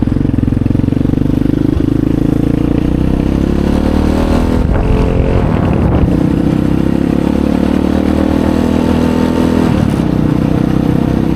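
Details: Chinese Apollo 250cc dirt bike, sat 2 years with gas left in carb, ridden: single thumps at steady low revs, never climbing or opening up on throttle; won't rev out; owner suspects dirty carb.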